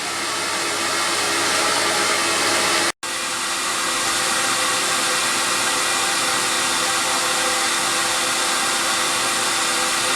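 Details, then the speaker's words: CamVac dust extraction system with cyclone, exhausting air directly outside rather than recirculating through baffle pipes: smooth even soft airy hiss, just below 70 dB level, no rattles or surging; running normally. "now I'm extracting the air directly to outside and you can see if I'm quiet for a second we just below the 70 level and now the noise that I'm hearing is a very soft kind of noise and it's not harsh on the ears"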